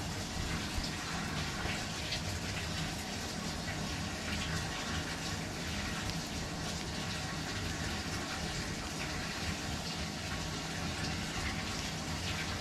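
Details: Frigidaire laundry centre washer, which had not drained or started with only the lid locking, is test-run after the fix. A steady, even rush of water fills the drum with no surging, normal water fill.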